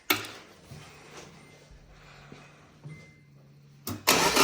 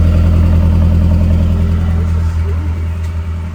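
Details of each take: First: Truck just after a 48-hour engine swap; cranks and catches, then runs loud with a slightly stumbling, uneven beat: misfire from an unplugged fuel injector, running well once plugged in. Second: Truck with freshly swapped engine, after plugging in a disconnected injector that caused a slight misfire: strong even idle with steady deep beat, no stumbling or skipping; normal idle.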